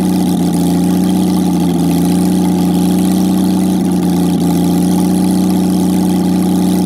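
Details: Jaguar XK6 inline-six after a junkyard rebuild, no exhaust, no radiator, in a homemade boat-tail speedster: steady, even idle with a deep open rumble and no knocks or misses; normal idle.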